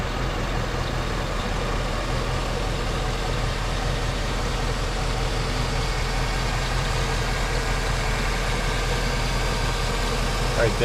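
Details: Cadillac Escalade bought via Facebook, started up following a breakdown on the Pennsylvania turnpike: even, steady low idle rumble with no knocks, ticks or misses; engine sounds smooth and healthy.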